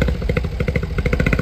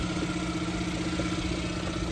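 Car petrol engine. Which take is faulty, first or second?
first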